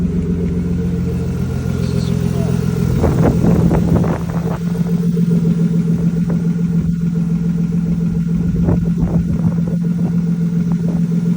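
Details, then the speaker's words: BMW E36 previously crank-no-start from suspected EWS immobilizer issue, now running after ECU swap and main and fuel pump relay replacement; steady low hum with light clicks, even idle, no misfire. Normal idle. "But yeah, it's something running. It's time for some bugging up. And it has an exhaust on it. I don't know what the noise is. It's motor stuff. It's just running."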